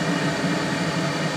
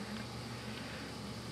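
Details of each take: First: Hydrotherm boiler burner lit with flame guard and all covers off: steady roaring rush with hollow, breathy edge; excess combustion air getting in through the open covers makes it louder. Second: Hydrotherm oil boiler burner fired with the flame guard and covers off, so too much air gets in; steady low roar with a faint hum, even and unbroken; normal burner firing noise.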